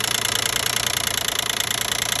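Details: 2012 Nissan Maxima 3.5 L engine at steady idle: fast, even ticking knock with a thin, tinny edge; owner assumes the intake bracket.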